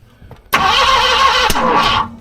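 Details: 1970 Ford Mustang Fastback, presumed 351, sitting 20 years, with fuel poured down the carb: about 1.5 s of steady whirring cranking that never catches. Ignition timing is suspected off, possibly 180° out.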